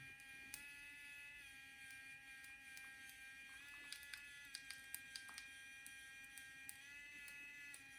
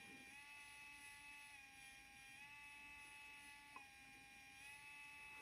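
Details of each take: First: Geeetech 3D pen heated to about 167°, running while drawing: steady high motor buzz stepping in pitch with faint scattered sharp pops; filament popping at the nozzle, owner suspects too hot and lowers to 160. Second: Geeetech SL300 3D pen version 3, heated to about 160–167 °C: faint steady high-pitched gear whine as the feed motor pulls filament in; normal operation.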